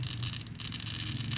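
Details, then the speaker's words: Beginner bottle cutting at home: bottle against stop block, turned exactly one revolution as the glass cutter scores it. Fine steady scratching with light rapid ticks, the clicking you want to hear, meaning a clean score line is being cut all around. "as you can hear there some clicking sound in your sound and glass cutter scratching the surface of the bottle that's what you want to hear"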